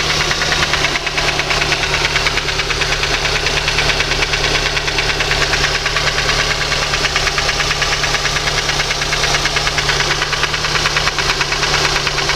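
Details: Lada 2115 engine: a steady, bright, sharp metallic tapping about three times per second over the idle. Internal engine knock, cause not pinned down.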